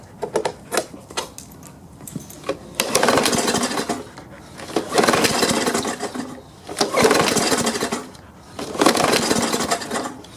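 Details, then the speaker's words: Push lawn mower, one of several free mowers, started after pumping the primer bulb: surges and sags in lumpy bursts about every two seconds, running rough, starved and noisy; owner suspects a dirty carburetor needing cleaning, not confirmed. "it tried and it sure sounds awfully noisy under here so I think I'll need to clean the carburetor out"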